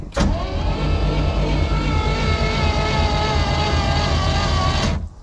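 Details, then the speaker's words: Vintage Caravelle boat engine sitting since the 90s, plugs out and carb lubed, cranking to build oil pressure: sluggish five-second labouring crank; slow cranking, Optima battery believed low and needing a charge. "all right that sounded good I think my batter's not in great condition"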